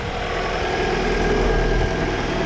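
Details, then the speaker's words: Vauxhall Vectra after cracked exhaust manifold replaced with spare and new gasket: smooth, even idle with steady hum, no puffing or ticking from the manifold joint; exhaust blow fixed. "Now she runs absolutely sweet as a nut."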